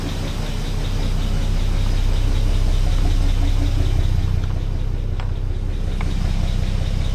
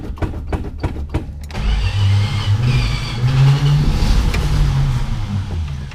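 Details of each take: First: 1962 Plymouth Valiant, 170 Slant 6, pushbutton automatic, 63,000 original miles, abandoned 20+ years, engine freed from seized, running on old gas: a smooth, steady, very quiet idle with no knocks. Normal idle. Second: 1962 Plymouth Valiant, 170 Slant 6, pushbutton automatic, 63,000 miles, abandoned 20+ years and previously seized, running on old chainsaw gas. Slow cranking, then a lumpy, wandering run that never settles; timing is suspected to be way out.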